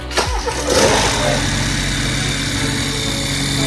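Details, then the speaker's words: Hybrid BMW after engine rebuild at 140,000 km, start after engine reinstalled in car: starter catch, brief flare, then steady even idle with no knocks or misses; runs smoothly, expected to settle further. "声音稳定吧啊，待会儿等它下去以后啊，声音降下来以后，声音会更稳啊。"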